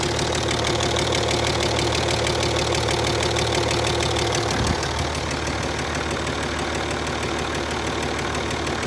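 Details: Land Rover Discovery 3 2.7 TDV6 diesel, hot engine at idle: a sharp, regular, persistent knock of about three per second rides over the warm diesel idle; the cause of the hot-engine knock is not yet identified.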